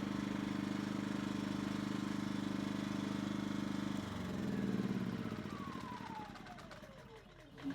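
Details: Yamaha EF2000iS inverter generator after cleaning the carburetor pilot jet, choke fully in, economy mode: smooth, even idle with no surging for about four seconds, then shut off; surging fixed.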